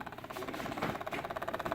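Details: WLtoys 12423 RC car: fast even ticking, about fifteen a second, from the motor, which never spins up; no response to remote throttle or steering.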